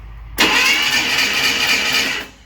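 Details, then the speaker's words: Freshly rebuilt 230 six-cylinder first-start attempt, new fuel filter and fuel pump hooked up, no fuel reaching it yet; steady fast starter whirr for about two seconds with no firing; cranking without fuel. "keep going no fuel yet yeah just keep cranking"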